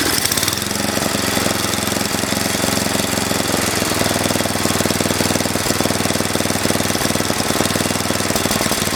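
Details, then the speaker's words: Mastercraft (MTD) 8hp 24-inch snowblower: uneven, lumpy chugging at about two beats a second that never settles to a clean idle. It struggles to run off choke, and the owner suspects something clogged in the carburetor; rough running. "I was having a hard time running off of choke so I will not be surprised that we cyan't find something clogged up in here"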